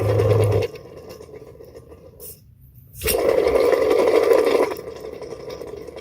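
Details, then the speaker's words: 2003 Prevost with 12.7L Detroit Series 60, Linnig two-speed electric fan clutch spun by hand; rough, gritty whirring drone fading as it slows; worn double bearing in fan clutch, clutch replaced. "this is typically what's going to fail this is what was making that noise that we heard earlier"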